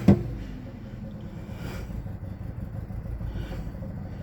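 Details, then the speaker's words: 2007 Jeep Patriot idling rough during key programming with a Launch X431 scan tool: quiet lumpy idle with uneven low rumble and stumbles; runs rough, cause unknown, owner suspects the immobilizer may be in a security function. "thing runs like poop. You guys hear that? Wow."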